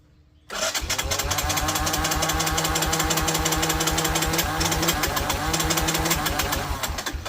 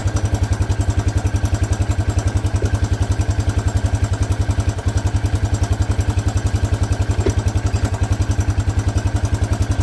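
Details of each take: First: 1984 Honda Big Red four-wheeler, battery fitted: steady chugging crank at about three and a half beats a second, never catches; no spark, CDI suspected. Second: 1984 Honda Big Red four-wheeler after fuel line fitted: single cylinder idles with a steady even thump about three and a half beats a second, no misses or knocks. Normal idle.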